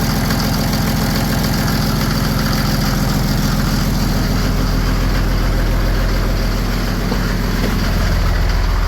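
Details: First start of an OM603 Mercedes diesel in a Ford Ranger (Doomsday Diesel adapter, Ford ZF5 transmission), with a hose wedged in the throttle linkage for slight throttle, warming up: even idle clatter, steady regular firing, no misses or knocks; normal idle.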